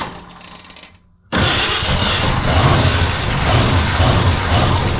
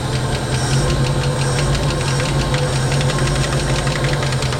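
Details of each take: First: 1968 Ford Mustang parked about 20 years, first start: cranks briefly, fires and settles into a steady, even idle with regular low pulse and light valvetrain ticking; runs well. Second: 1968 Ford Mustang V8, parked about 20 years, at its first idle: fast, light top-end ticking over a steady low rumble, otherwise running well. Cause of the tick is unknown.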